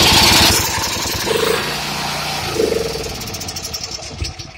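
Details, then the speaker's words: Champion 7500 W dual-fuel generator with about 175 hours, mostly run on propane: starts on choke and runs rough, then dies about two seconds after choke is opened. Disconnecting the low-oil sensor made no change; owner doubts the fuel solenoid; cause unknown. "start it up it should start and then when i turn the choke off it's gonna quit after about two seconds"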